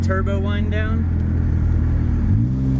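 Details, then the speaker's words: Honda Civic, automatic, with a D-series engine newly fitted with a used, mostly eBay turbo kit and not yet tuned, on a test drive at light throttle. It pulls steadily, then a rising turbo whistle swells and fades as the throttle lifts; spooling cleanly and sounding healthy. "I'm light on the throttle and you can hear that turbo [Laughter] [Music] spool"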